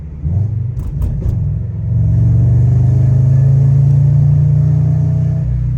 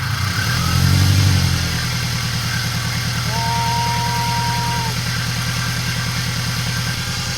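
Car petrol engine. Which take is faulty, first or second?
first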